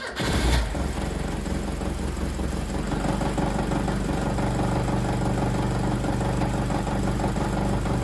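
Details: Turbo Pinto engine in Mk3 Cortina, cold start during cold-start fuel tuning (40% up to 260% enrichment): catches into rough idle with clattering bangs as the rocking engine throws the exhaust against the body; engine to be solid mounted.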